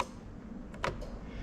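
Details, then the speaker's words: 2005-2010 Lexus SC430 3UZ-FE VVT-i swap into LHD IS200 with J160 manual, ignition on, engine off: quiet cabin then crisp relay clicks as AC button pressed; AC clutch relay engages normally. "and hopefully you can hear the relay clicking fantastic right so that's all of those done there"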